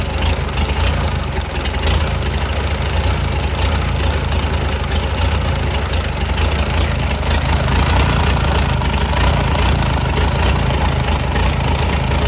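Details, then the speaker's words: Farmall BN tractor after magneto and kill-switch wiring, out of gear: steady low chugging idle with slightly uneven beat while ignition timing is still being turned and adjusted; not yet smooth. "i'm going to get it where it'll sort of idle"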